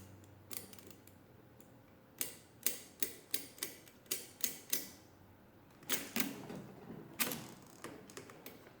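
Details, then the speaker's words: Mid-1920s Marchant XLA lever-set hand-crank mechanical calculator after repair: subtracting 1 from all ones carries through to all nines and rings the bell. Crisp rapid clicks about three a second, carries snapping through evenly without binding; working normally. "so if I put in 1 and subtract it should carry all the way over make it all nines and rings the bell so that looks like it's all working"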